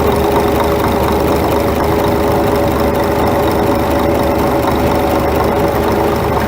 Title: Scania R420 Truck Engine Engine Knock